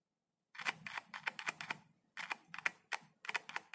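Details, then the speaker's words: Insect-damaged speaker tested without amplifier or multimeter by tapping its leads on a battery cell: sharp crackling clicks in quick bursts with each touch; coil responds, driver working. "आपको एक आवाज सुनाई देगी। देखो, इसमें से चटकने की आवाज आ रही है।"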